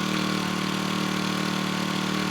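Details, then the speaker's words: New Makita EBH252U petrol four-stroke brush cutter, first start from cold on choke, choke to be backed off progressively over 2–3 minutes; smooth steady buzzing idle at one even pitch without stumbles, normal cold warm-up. "You need to progressively take the choke back as it warms up. It takes 2 or 3 minutes just to warm up,"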